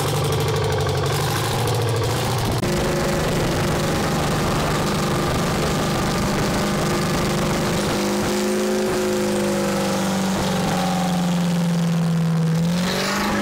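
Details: Champion motor grader with a Detroit diesel that sat locked up for 7 years, now freed: loud, rough drone with wandering pitch and load changes, but it keeps running steadily; normal running.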